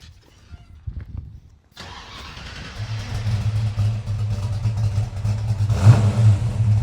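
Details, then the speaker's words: 1968 Ford Mustang Fastback GT, 302 V8 with a cam, said to be stroked: cranks briefly and catches, then settles into a deep, lumpy cammed idle with clean throttle blips; normal start and idle. "Sounds good, guys. It runs good. I mean, listen to that. Good rumble. It's got a nice cam in it."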